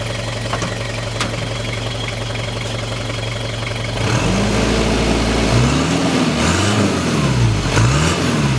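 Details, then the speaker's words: Rocky turbo diesel with new exhaust fix, 2-inch pipe and standard muffler; steady idle then clean, smooth rise in pitch when revved, no knocks or rattles; turbo seems to spool a little faster after the adjustment. "I'm going to rev It Up so you can hear it but because it's just got a standard uh muffler on it you don't really notice much in the sound but I do notice that the turbo spools a little bit faster even with the slight adjustment that we made"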